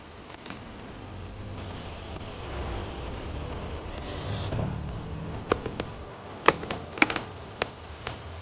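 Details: Mercedes-Benz M276 engine (S320, W222) at idle: a low rumble with irregular pops and putts, also heard in the cab, plus high oil consumption. Usually caused by a damaged turbo wastegate valve; suspected, not confirmed.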